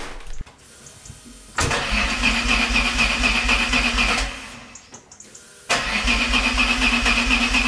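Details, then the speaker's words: Alfa Romeo 156 GTA 3.2 V6 Busso, restarted after sitting over ten years: catches with a thin whistle, sags almost to nothing and bursts back; a recurring ignition fault that clears itself, cause still unexplained. "Ik denk dat niemand verrast is, maar ze gaf me opnieuw de ontstekingsstoring en het herstelde zichzelf daarna."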